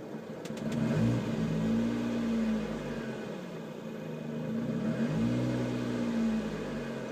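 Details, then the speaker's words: 2011 Lotus Exige at idle with no throttle: rough idle where revs surge and sag on their own about every four seconds. "I'm not hitting the gas at all. The car is doing this by itself."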